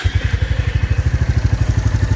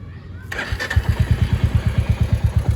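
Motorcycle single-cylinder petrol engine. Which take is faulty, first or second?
second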